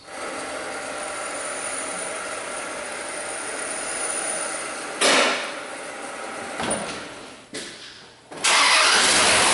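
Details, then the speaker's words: 2001 Dodge Dakota 4.7 V8 with a P0171 code, after repairing a driver's-side exhaust manifold leak from broken bolts: starts and settles into a steady, even idle with no manifold ticking. Normal start and idle. "well now it just sounds like all the rest of them I'm surprised it's not ticking I thought for sure this thing was going to have some bad manifolds but she's quiet now"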